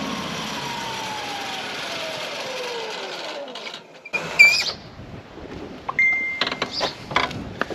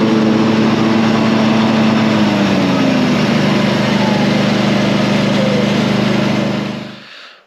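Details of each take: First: Ride-on mower blades switched off after running: a loud screech slides steadily down in pitch as the blades spin down, from a worn blade clutch whose plates rub against the outer ring. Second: Ride-on mower after repair with a repaired deck, sharpened blades and a new blade clutch: steady, even drone with the deck spinning smoothly, then a clean wind-down at shutoff. Normal running.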